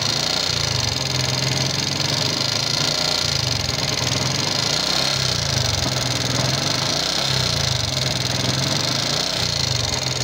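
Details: Yamaha Jupiter MX King fuel-injected single at idle: fast, uneven metallic ticking and clatter over steady idle, with thin smoke; owner suspects combustion-chamber wear (piston, rings, valve seals, valve guides), not confirmed, before teardown.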